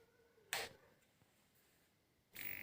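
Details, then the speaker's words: Chinese CRT TV after fitting a new 1802 transistor: brief rushing "kurr" burst at switch-on, then near silence with no transformer whine or buzz; powers up normally. "देखिए दोस्तों, TV चालू हो गया। आप सुन सकते हैं कुर्र करके। अब इसमें कुछ भी साउंड नहीं है, या ट्रांसफार्मर का साउंड नहीं है, कुछ भी साउंड नहीं है।"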